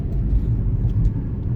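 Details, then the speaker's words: Chevy Equinox driving at cruising speed after the fault in which ABS, traction and all-wheel-drive lights came on near 20 mph (hub/bearing sensors suspected): steady low road rumble, no grinding or wheel hum. Everything is working again. "So, all right. Yeah, she's doing good."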